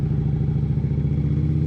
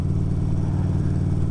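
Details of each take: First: 2011 Harley-Davidson Road Glide CVO with partially gutted exhaust (baffles removed) and rear end lowered. Deep, loud, lumpy bark climbing with revs with a couple of dips; sounds ragged, like running on one cylinder. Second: 2011 Harley-Davidson Road Glide CVO V-twin riding after the exhaust was partly gutted (catalytic converter still in) and the rear lowered: a deep, even rumble, shifting up and down with no clatter. The primary drive runs normally and much quieter.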